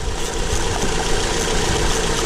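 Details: Acura TSX four-cylinder after replacing the faulty cylinder 3 ignition coil (P0303 misfire): steady, even idle with a smooth low rumble and no stumble or skipped beats; running cleanly on all cylinders, normal idle.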